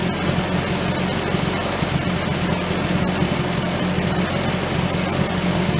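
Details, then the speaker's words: 1098cc A-series engine after SU HS2 carburettor service: new float, gaskets and jet, rich H6 needle swapped for an AN needle, points cleaned and reset. Fires straight away with a steady, even burble; normal running. "so we all it's all back together now all seem to be running quite well did after the service the points at the same time it just wasn't getting a good spark but it seemed to clean those up and reset the cap fire it up straight away so fairly happy with how it's running"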